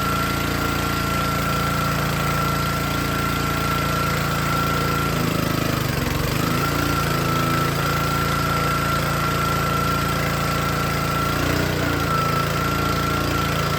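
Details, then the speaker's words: Troy-Bilt log splitter with small Honda engine driving the hydraulic pump, before the pressure adjustment: runs great unloaded, then sags and labours twice when the pump loads up before recovering; bogs and wants to die under load. "Alright, this little engine runs great. And then, as you can hear, as soon as you put load on it, it wants to die."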